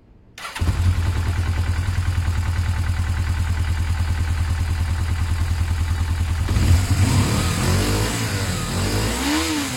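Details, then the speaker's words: Motorcycle running with its airbox loosely fitted and an extra filter squeezed onto the end of the pods: fires quickly, settles into an even steady beat, then revs smoothly with clean pickup, no knocks and no odd needle movement; runs healthy. "that's great I can hear it's fine problems at all no weird movements of the needle"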